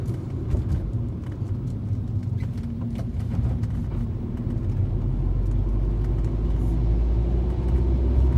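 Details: 2013 Fiat 500 driving over bumps and potholes: sharp, irregular clicks from under the car above the road rumble; suspension cause unknown.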